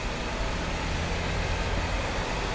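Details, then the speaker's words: 2010 Chrysler Sebring Touring salvage car, idling after a cold start: steady, even low idle with no knocks, ticks or hunting. A normal, good-running engine. "It'll look brand new. It really is a good running car."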